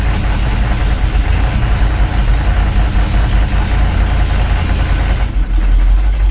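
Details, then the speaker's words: 1984 Dodge Ram D150 V8, in first gear while brake torquing: deep, heavy rumble held under load without climbing freely, sounding bogged and labouring; owner suspects worn clutches in the Posi rear end, cause not pinned down; engine struggling under load. "load, she has a hard time."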